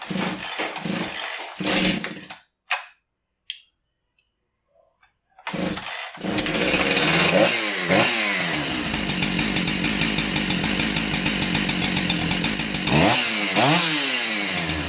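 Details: Husqvarna 372XP chainsaw, brought in low on power, reassembled after repair: pulls over and fires, then revs cleanly up and down with a crisp high buzz and no stumbling; running healthy after the fix.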